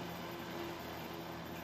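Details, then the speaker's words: Junk space heater after freeing a stuck fan, on highest heat setting (1500), fan spins nice and free; quiet steady low hum with soft airy rush, no scraping or stalling; normal fan running after repair. "it's working fans going good there we go heat's working great it's on the highest temperature 1500 nice and warm you can hear that fan"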